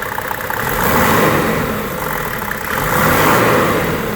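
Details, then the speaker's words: 1995 Mercedes E300 diesel (W124), inline-six with over 250,000 miles, under-hood revving: clean, even rise and fall with no rattle or timing chain slap; chain checked tight, no stretch, no blow-by. Normal diesel rev. "rattle no timing chain slap the timing chain is directly underneath here"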